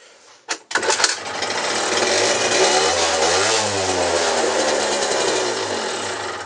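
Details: Peugeot Speedfight 50cc two-stroke moped after starter relay, exhaust and carb fixes. The electric starter catches at once, then the engine buzzes up, revs cleanly and settles back smoothly; normal electric start and run, slightly rich.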